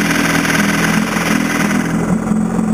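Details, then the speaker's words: 1960 Evinrude 10hp Sportwin outboard, hard to start and needing revs to keep running: the low idle is lumpy and wavering with the armature plate shaking heavily, smooth when revved; cause not yet found. "If I try to idle down, well first let's try to look at the armature plate here. I don't know if you can see it. How much this is shaking."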